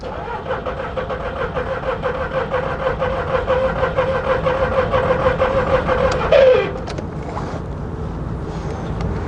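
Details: 2002 VW Polo 1.2 three-cylinder AZQ after fuse replaced: steady rhythmic cranking about two beats a second for several seconds, stops without catching; cranks but won't start, coils then found firing.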